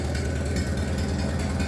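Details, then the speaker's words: Minneapolis Moline BF tractor after in-frame engine rebuild, out of gear, choke on, without muffler: deep, steady open-pipe rumble with an even firing beat and no knocks or misses; normal idle. "Sounds pretty good. That's what she sounds like without the new exhaust."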